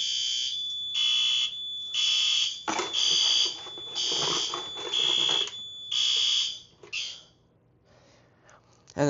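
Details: Fire alarm system during its yearly test, after activating a BG-12LX pull station switched to conventional; high, steady beeping in bursts about once a second; fire alarm sounding after pull station activation.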